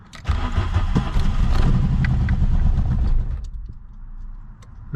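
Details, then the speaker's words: VW engine cranking after wire ends were cleaned and reconnected: starter churns about three seconds with no firing or catch, then stops; cranks but won't start, owner suspects it's not getting fuel. "just not getting gas"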